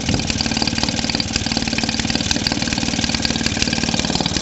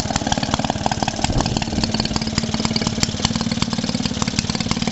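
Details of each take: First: Maytag Model 72D two-stroke washing-machine engine after repair: owner suspected a partly blocked jet, sealed around the air tube and cleared the fuel tank relief vent hole. It now putters at a steady even beat with no misses, running normally. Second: Maytag Model 72D single-cylinder washing machine engine: rapid popping beat near four a second that wanders and hunts; fuel mixture still not set to the best-running position, owner adjusting it.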